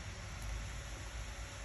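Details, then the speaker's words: Acer Predator Helios 300 gaming laptop with overheating and a loud fan, fan test set to maximum mode, climbing to about 6,000 rpm. Constant loud rushing whoosh with no speed change. Faulty cooling fan; GPU fan to be replaced. "okay and if we go to maximum mode then fan is making a really low noise"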